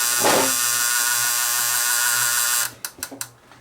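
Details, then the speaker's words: Fostex D10 DAT deck with Error 02, tape inserted after reassembly: high motor whir about two and a half seconds, then sharp clicks; tape loading cycle never completes. "That doesn't sound good. It's not full. It's not completing the loading cycle."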